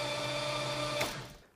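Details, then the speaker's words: 440 big block in a 1969 Plymouth Road Runner, freshly installed, cranking: steady even starter whir with whining tone about a second then spinning down, no knocks or grinding, built 25 psi oil pressure; normal cranking. "It built 25 pounds of oil pressure just cranking it. All right, here's where my head's at. Builds oil pressure, cranks, all of that seems fine."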